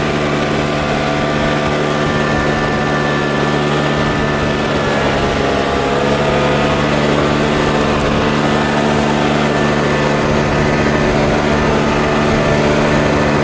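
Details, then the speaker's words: Troy-Bilt four-stroke backpack blower after a $15 carburetor replacement, blowing grass and blacktop outdoors: steady even drone at constant pitch, no misses or surging; runs great. "Runs great. I don't know if it's noisier or quieter than a two-stroke, but I might prefer the sound of a two-stroke."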